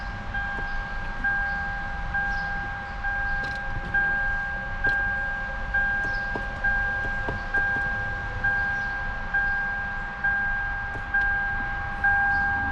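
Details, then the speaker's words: 2006 Lexus IS 250 that sat for about a year, right after a new battery was fitted: steady two-tone chime about once a second, no engine running; the car keeps showing 'press brake pedal' and won't start. "They keep saying that the brake pedal is not pressed. It's saying press on brake pedal before turning on the car, and it won't start."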